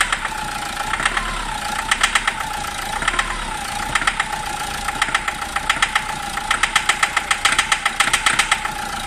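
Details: Isuzu D-Max 1.9 diesel with white smoke: sharp, rapid metallic knocking in uneven bursts at idle; all four injector tips found damaged and leaking, causing hard knock and risk of engine overrun.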